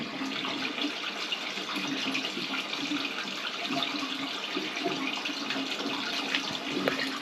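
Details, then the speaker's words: Toilet with a weak flush, after snaking: a steady rushing splash of water falling away freely with no choking or slow gurgle, the drain flowing clear. "sounds like it's draining really well"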